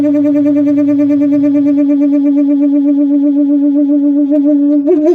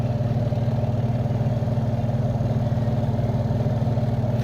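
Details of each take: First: Samsung twin-tub washer, spin side near the motor: steady high squeal holding one pitch through the spin, wavering slightly before cutting off; dry spin basket shaft seal squeal, basket then removed for repair. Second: Samsung twin-tub washing machine spin basket after greasing shaft and tightening screw to cure squeal during spin; steady low hum, even gentle pulse, no squeal or scraping; normal spin.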